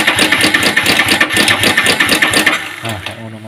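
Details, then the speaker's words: Yamaha Vixion Advance motorcycle engine at idle: harsh metallic clatter stays with engine speed; mechanic judges cam chain problem rather than piston noise. "tapi kalau dari suaranya ini rantai kampratnya wis bermasalah nanti kamprat bermasalah dan kalau dari suara gejalanya Ya beda kalau suara yang lain itu seher kali ini agak cocok cocok itu rantai rantai kampret atau rantai o"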